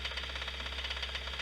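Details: Running engine with sharp, even knocking about eight times a second over a low hum; knock changes when cylinder 1 is disabled and changes sharply on cylinder 2, pointing to a worn connecting rod bearing there.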